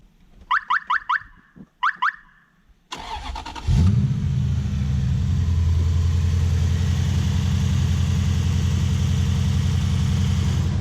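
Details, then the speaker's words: Lexus 1UZ-FE V8 in a 2WD Toyota Hilux ute, before repair: chimes, short crank, then a lumpy, uneven, rattly jerky low beat; a timing light showed ignition timing out by 30 degrees. "the engine were just rattle it was jerky and horrible"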